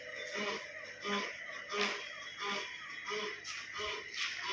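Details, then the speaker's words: Car with MacPherson strut front suspension, car rocked: squeaky rubbery creak repeating about every two-thirds of a second, coming from the rubber in the front strut damper mount; worn strut mount rubber. "இது வந்து பார்த்தீங்க அப்படின்னா இந்த noise எங்கேருந்து வருதுன்னா எக்ஸாக்டாக அந்த friend short அசர் வருது இல்லையா, ஸ்டட் அசம்பிளி டேம்பர் அதோட மவுண்ட்ல இருந்து வருதுங்க. அதில் இருக்க ரப்பர்ல இருந்து தான் வருது."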